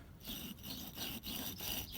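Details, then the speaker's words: Cadillac CTS-V AC compressor, removed and turned by hand: the old unit gives a rough, gritty rasp on every rotation and its clutch is loose, unlike the smooth, quiet new one with a tight clutch. Internal grinding means it needs replacing. "hear that thing's nasty sounding um that's the old one here is the new one nice and smooth everything no noise clutch is nice and tight this one's loose"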